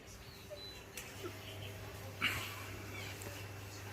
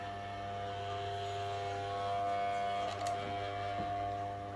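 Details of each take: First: Ceiling-mounted fan motor run without blades after a blade shattered and a non-original replacement shook badly (owner suspects bushing); shaft is tight; low steady hum, faint hiss, no rubbing or rattle. Normal motor running without load. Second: Ceiling-mounted high-angle fan whose blades previously shattered, motor shaft checked and tight: tilted down about 45 degrees it gives a steady hum with a constant ringing tone; owner suspects shaft or tilt angle; fan noise when tilted.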